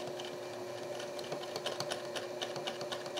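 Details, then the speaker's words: Sewing machine sewing in reverse after bobbin flipped: light rapid ticking around four per second with uneven catching note, thread ripping in reverse; something snagging, cause not yet clear. "See, it's still catching when I go in reverse."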